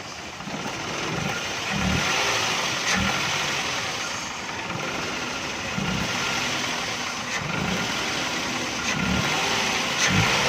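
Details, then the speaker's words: XLI 1.3 switched over to CNG, which won't pull uphill on gas: uneven, lumpy, vibrating idle with irregular beats and poor revving; misfire traced to a cracked coil that damaged the spark plug. "ये गैस पर अभी कन्वर्ट हो गई है। इंजन में वाइब्रेशन बहुत ज़्यादा है, थरथराहट बहुत ज़्यादा है।"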